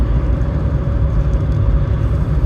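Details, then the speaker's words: Ford Fiesta Mk5, 17 years old, driving at speed after replacing a worn, humming rear press-in wheel bearing: only low smooth road rumble, no growl or speed-rising hum; much quieter, bearings healthy. "So I've changed the wheel bearing now and I'm on the way home, and it's so much quieter. I can listen to the radio, I can have a conversation."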